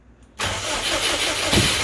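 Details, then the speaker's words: Subaru Brat with WRX engine swap, previously no start, starting fluid sprayed into throttle body, which backfired: silence, then engine catches abruptly and stumbles unevenly for a second or two; sputters on starting fluid. "but we got sputters now the hole I just sprayed the throttle body and it backfired and blew up and nearly called everything on fire but I just had it rolling again for a second all of the remaining starting fluid and it uh took it pretty well"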